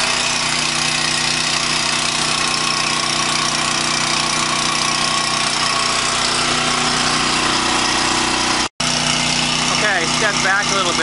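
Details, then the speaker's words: 5,000 W Coleman Powermate multi-fuel generator with Briggs & Stratton engine, powering a fan; even steady note at constant speed under light load, no hunting or stumbling; normal running. "The generator is running really smoothly. It sounds great. There's no rough idle on it."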